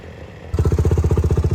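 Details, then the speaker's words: YFZ WR450 478 hybrid cranking on starter after head gasket repair, no compression leaking into coolant: even rhythmic chuffing, each pulse equally strong; good compression. "so head gasket repair is good we can hear that it has compression i already know it has compression"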